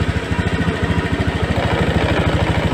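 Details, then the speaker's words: Scoopy fuel-injected scooter treated for sputtering, after fitting a new Vario 150 injector: even putter of about eight beats per second with no dropouts; O2 reading now normal between 0.2 and 0.8 (previously 0.0), rpm standard, clean idle. "dan kita cek untuk debit injectornya ini untuk rpm nya sudah standardize"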